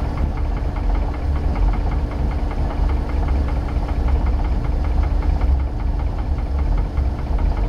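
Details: 1990 Sea Ray Sundancer boat with 454 engine: steady low idle rumble with a fast, even ticking knock over it throughout; engine knock, source not pinned down.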